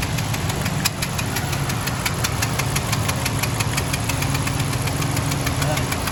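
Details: Honda Civic engine at even idle with steady sharp ticking four or five times a second; regular engine knock from inside, cause unknown.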